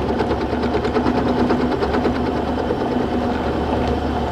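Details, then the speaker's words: Small mill cutting a T-nut in hard iron with a cobalt cutter and oil, taking cuts well under four thousandths of an inch: an uneven rattle over the spindle hum, about two knocks a second. The cut is rough and chattering. "well we on the 400 thousands of an inch and uh yeah it's rough and take like I said I'm taking way under four thousands way under four thousandth of an inch on these cards and I'm having a rough time"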